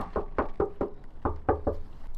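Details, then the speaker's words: 1990s JDM car with 160,000 on the odometer, sat for years and won't start (coolant dry, battery dead): about eight hand knocks on the fuel tank from underneath ring hollow. Owner suspects an empty tank is the fuel cause; hollow-sounding fuel tank. "all right so we're going to go get some fuel cuz we got it to fire um and the fuel tank sounds empty so hopefully all we have to do is put some petol in it and it will fire straight up"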